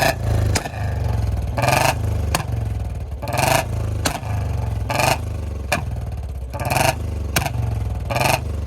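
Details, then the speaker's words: Royal Enfield Bullet BS6 single, warmed up, revved and snapped off throttle. Sharp exhaust pops about every one and a half seconds on the throttle-off, deliberate backfires, with a kat-kat misfire noise that grows after repeated popping. "ये देखो जो miss fire जा रहे हैं ना इसी वजह से हैं"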